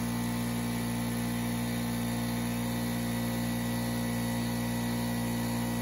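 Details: Craftsman 919.165200 5hp oil-free air compressor after capacitor replacement and correcting 220V cord wiring: steady, even electric hum with smooth pump drone, no knocks or squeals; running normally.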